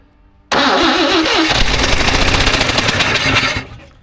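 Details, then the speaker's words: 1954 Chevrolet revived after two decades sitting, slight exhaust leak; quick crank catches into uneven stumbling sputter for about three seconds as number one spark plug left out; misfire from missing spark plug. "you know what would be a really good idea to actually put the uh spark plug back in the hole I left number one out like a dude"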